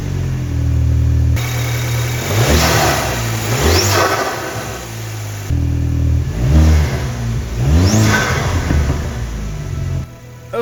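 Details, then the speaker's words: Mk2 Audi TT, BWA petrol engine, after replacing fuel injectors to cure misfire: revs rise and settle repeatedly, pulling cleanly with even beat, no stumble or miss; normal running, fixed. "course it will and it's running perfectly I'm so glad the hours I've spent changing that fuel and yet that is actually made the difference and it's fixed the problem that I was having and the engine is ticking over nicely and it sounds fantastic"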